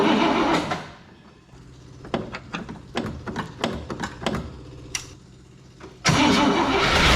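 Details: 1961 Cadillac 390 V8 after oil leak repair with fresh cam awaiting break-in: irregular starter bursts with quiet gaps for several seconds before it catches and runs loud; extended cranking, slow hard start, cause suspected, not confirmed.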